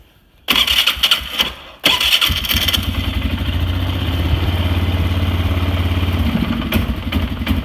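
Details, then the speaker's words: Polaris Sportsman 500 ATV after repair: it had backfired through the exhaust at idle and wouldn't throttle up because a bent throttle/ETC micro switch holder let the switch lose contact. Now a quick crank catches cleanly into a steady, even idle with no pops. "everything is fine and runs great"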